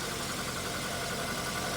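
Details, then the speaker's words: 2005 Nissan Sentra after new alternator and belt replacement: smooth, even idle hum with no belt squeal or chirp; normal idle. "So, we finally got that new alternator in there. We got no squeak. It's sounding a whole lot [ __ ] better than it did before."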